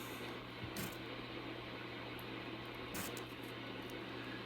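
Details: Drake R4B receiver, noise blanker engaged: steady hiss with low buzzing hum continues unchanged, S-meter dips slightly; owner suspects the noise blanker is defective, not confirmed.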